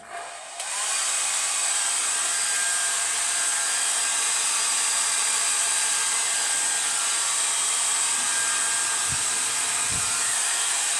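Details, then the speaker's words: Hair dryer after repair, burnt debris scraped off the thin heating wire on its mica frame following smoking: steady, even high-pitched airflow rush with no rattle, scrape or catch, heating and blowing as it should; normal running. "Yeah, no sign of any great problems now. It's heating up and blowing as it should do."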